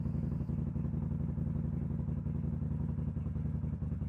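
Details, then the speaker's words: Kawasaki VN800 bobber, after likely fixing carb boot vacuum leak: lumpy, uneven idle thump with irregular gaps, about four a second; still misfiring at low revs though fine above 4,000-5,000 rpm; owner suspects valve clearance, unconfirmed. "I think the vacuum's sorted, but it's still missing, so I'm just going to fire it up and let you hear it anyway, because you missed that bit."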